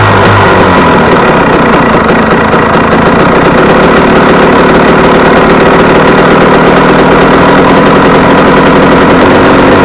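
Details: Warm KTM 250 EXC two-stroke on 40 pilot jet, idle lifted slightly: loud crackly buzz hanging at high revs instead of returning to idle; owner says it's too lean and runs away.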